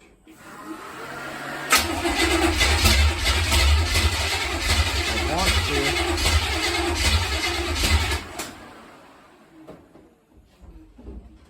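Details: Small-block V8 starting after intake work: cranks, catches, then lopes and stumbles unevenly about six seconds before dying; driver-side bank intake had not sealed, causing a massive vacuum leak.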